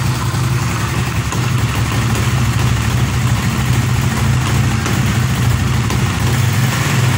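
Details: Honda CB150R/Sonic/Supra GTR-type single-cylinder engine after camshaft top-timing setup and refitting: steady, even low idle with a smooth unbroken beat, no knocks or misses. Normal, healthy idle.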